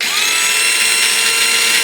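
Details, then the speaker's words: Second of two V3 gearboxes for a model King Tiger tank, tested before break-in lapping: a steady, piercing, metallic high-pitched whine that holds at constant speed, louder than the first gearbox. Gear whine; lapping with 320-grit silicone carbide grease is planned. "Notice we didn't get the big fluctuation at the beginning on this one. But the whine is much more pronounced."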